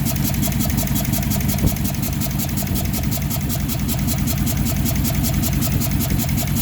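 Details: 2006 Dodge Charger 5.7L V8 idling with all coil packs on one side disconnected: a lumpy, shaky idle with an uneven thump, a misfire on several cylinders.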